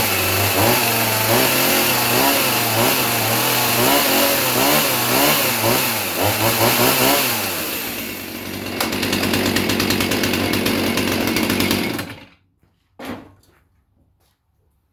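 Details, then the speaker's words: Husqvarna 450 Rancher chainsaw with a 20-inch chain, cold start while wearing in a new chain: repeated rev blips, then a blubbery uneven idle before cutting out; running extremely rich. "trying to wear in the chain and that is definitely running extremely rich but uh yeah foreign catch you on the next one guys"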